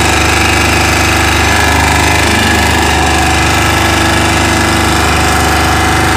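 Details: Chinese 2000-watt generator running at constant speed: a loud, uneven rapid knocking of about three or four beats a second over the hum; abnormal engine noise, cause not yet identified.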